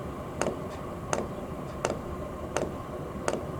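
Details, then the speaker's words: Camper diesel heater dosing fuel pump inside its rubber-mounted case: sharp, regular ticks about every 0.7 seconds over a quiet room; normal pump pulse. "Here's what the fuel pump sounds like while inside the case. I extended the hoses so it could fit outside the chassis."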